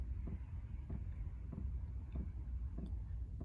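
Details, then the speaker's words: Chinese diesel heater in a van, 40°F morning, had been cycling on and off and throwing an error: crisp, even fuel pump ticks, about 95 a minute over a low hum, with no error yet, normal fuel pump ticking. "All right, so now see we got the pump going. You can probably hear it a little bit. Haven't gotten an error message yet."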